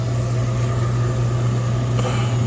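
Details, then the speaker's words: York horizontal 90% gas furnace in crawlspace, no heat, thermostat calling: only steady low inducer motor hum, no burner whoosh or ignition click, no flames; locked out. "inducer is on, burning hot. But, nonetheless, I can hear the inducer running. No flames. This thing is locked out."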